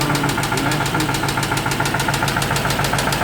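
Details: 2008 Ford Mustang Bullitt, 4.6 3V, idling: crisp, even tick about three and a half per second; cam phaser, coils, plugs, VCT solenoid, valve lash, lifters and oil already replaced, cause unknown.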